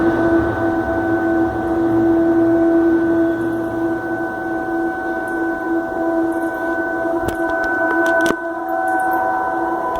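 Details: Boiler at a company on Avenida Marabá, Patos de Minas, venting steam: loud steady roar with several sustained tones holding without rising or falling; intense noise, no damage or victims, incident since corrected.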